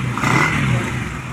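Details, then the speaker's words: Honda Revo small single revving briefly after the ignition coil (spul) was replaced for lost ignition, then settling to clean, steady running with no misfire; ignition restored and working normally. "Ini sudah terpasang teman-teman saya percepat saja jadi hasilnya seperti ini sudah bunyi kembali motornya"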